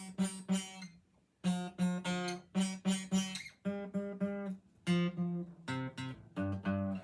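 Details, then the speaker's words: Taylor guitar restrung from usual 11s to 10-gauge strings: plucked G string gives a rattly, fuzzy buzz, unplayable at the second fret while the other strings sound fine; fret buzz from a worn nut slot. "Okay, so I was at a guitar shop and I asked the guy what he thought about when I put 10s on this thing, why it had a buzzing noise like this."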